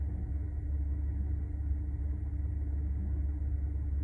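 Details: Deep low idle rumble swelling and dipping unevenly instead of holding steady; rough idle, cause not evident.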